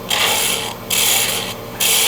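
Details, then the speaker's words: Wood lathe spindle turning held in a Rubber Chucky finial chuck: even rasping tool cuts in steady strokes with clean pauses and no chatter or rattle, the grip keeping the workpiece from vibrating; smooth cut. "And here there's no vibration. That's what the Rubber Chucky is doing for me. It's keeping a nice solid grip on there, and so it's not vibrating because of me pushing against the sides of the turning here."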